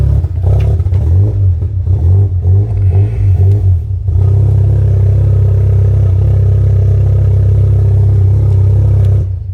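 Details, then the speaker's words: Stage 3 VW Golf R Mk7, first start after months standing, with 980cc multi-port injectors and an RPC intake manifold fitted, not yet mapped: low, lumpy, uneven beat for four seconds that then settles to a steadier drone; rough running with the throttle body not attached. "well just realized one thing that's blood maybe white is running a bit rough is the throttle body is not attached so I was wondering where that went"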